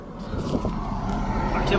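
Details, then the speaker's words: 1997 Audi 2.8 V6, warmed up about 10 minutes after the temperature sensor/indicator switch replacement, temperature gauge now working: a steady, even low rumble at warm idle with no knocks, misses or hunting; normal warm idle. "listen how good she sounds yeah 2.8 little V6 motor"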